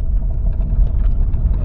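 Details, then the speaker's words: 2014 Dodge Ram with a P0207 cylinder misfire and rough running on dirt roads, on a dirt-road test drive after repair: steady deep rumble with no stumble or miss; seems fixed, normal running. "pues todo indica que esto parece que quedó"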